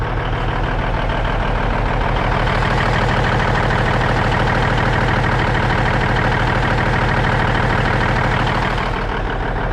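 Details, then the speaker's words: Cabover diesel "Kenny" after setting the injectors and valves, idling while warming up: steady, even clatter and a firm low rumble with no misses or knocks, smoothing out and smoking much less; a normal idle. "Well guys, while I've been sitting here waiting for it to warm up, and I think it definitely is smoothing out, smoking a lot less."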